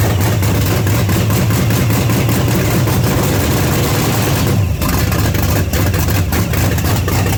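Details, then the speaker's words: 1979 Pontiac Trans Am with freshly overhauled 400 V8 on first start through open pipes: loud, lumpy, stumbling low idle; rough, possibly too rich with idle set low, needs idle raised and fuel reduced. "Alright. I think I got to turn the idle up a little bit. Take fuel off of it."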